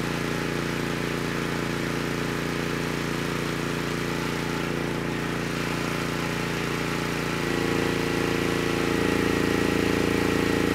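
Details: Honeywell HW5500 5500-watt generator, 337cc engine, after new Hipa carburetor, replacement tank and old gaskets (insulator issue found), load test; even hum deepens and grows louder as load comes on around seven seconds, runs smooth — normal running under load.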